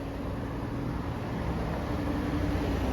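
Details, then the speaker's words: 1995 Mercedes-Benz S320 LWB W140, 223k miles, new drive belt and good battery, starts right up: quiet, smooth idle with soft even hum and cooling fans cycling on and off; engine runs really well, normal idle. "Headlights are actually pretty clear, pretty bright, and the motor runs really well. It's quiet, and"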